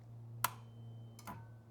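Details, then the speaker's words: Solenoid isolator relay in a simple dual battery setup, ignition on simulated: one crisp click as it engages, another shortly after, with a quiet hum between. Relay engaging properly. "Let me show you what this relay sounds like when the ignition is going off and on."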